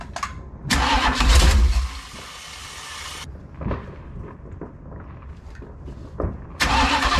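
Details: Ex-motorhome Mopar 440 big-block V8 on a dolly with headers, test-run before going into a 1968 Dodge Charger; engine catches and revs in bursts, then idles roughly with occasional sharp pops. Cause unknown; owner suspects ignition or electrical.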